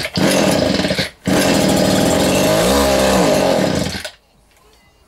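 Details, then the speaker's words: Vintage Echo strimmer, two-stroke, with spark confirmed: raspy buzz catches, drops out, picks up for a few seconds, then dies and won't keep running; bubbles seen in the fuel line, and the owner suspects a blockage or blocked carburettor diaphragm. "we have got some ink so he's gonna run we do know it's gonna run now then how well were you running that's the question"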